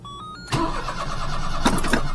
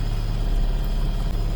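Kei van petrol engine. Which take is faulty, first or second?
first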